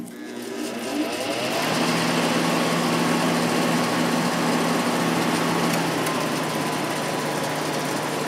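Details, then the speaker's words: Sharp air conditioner ball-bearing fan motor after re-oiling open front bearing with thick oil, running unplugged from compressor: steady hum with rough gritty rushing; inner bearing now quieter but outer bearing still noisy. "[Music] yeah the uh inside bearing is quieter now but that outside one is making a lot of noise"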